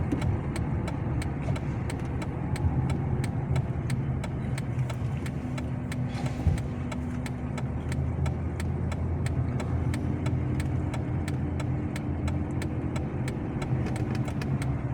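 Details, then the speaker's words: 2007 Chrysler 300C driving over broken road after front suspension work, new shock absorbers front and rear and rear bushings replaced; only steady tire and road rumble, no clunks or rattles; quiet suspension on rough road. "ماشيه السياره وما فيها اي مشاكل نحن ماشيين ما في اصوات"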